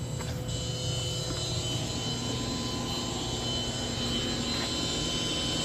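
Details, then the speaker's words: Sudden loud, steady jet-like roar with high whistle the instant final power connection is made to a double 16000-watt amplifier install on a Trunk Thunder lithium battery; wiring was checked repeatedly and the cause is unknown: loud whine at power-up. "And I don't know why it made that noise."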